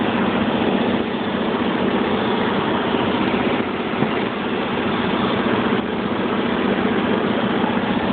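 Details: 1995 BMW 750iA M73, 170,000 km, cold start: rough, shaky idle felt in the steering wheel and chassis, with a faint metallic tapping from the lower passenger side; seller suspected an exhaust manifold hole, not confirmed.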